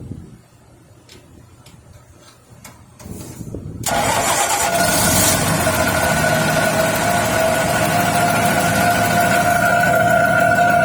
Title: pto making noise #automobile #jetpump #mechanic #johndeer